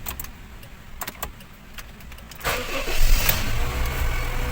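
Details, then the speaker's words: 2012 Honda Jazz automatic in park, before engine wash: short crank, engine fires and holds steady low idle without misses; check engine light goes out, engine normal. "ayun mga kahimas, nawala yung check engine doon. Okay, so normal yung makina."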